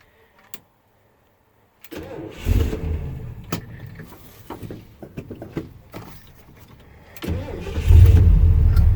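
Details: 1979 Ford F-150 with 460 V8 and automatic, sitting neglected for years, started on a fresh Optima battery after old battery was shot: strong quick cranking, catches and settles into a deep steady rumble.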